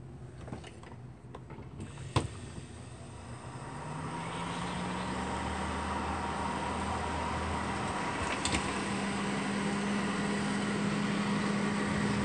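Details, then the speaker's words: Duracraft (Honeywell) Heat Furnace Plus CZ-1200 space heater that had smoked. A popped-off bushing retainer let the fan motor armature sit crooked. After refitting and brief testing, clicks then an even steady hum, no rubbing or rattle; motor runs smoothly. "the tips which worked - dude so that's all it was the retainer that held that bushing Center popped off so the armature wasn't sitting straight in the motor"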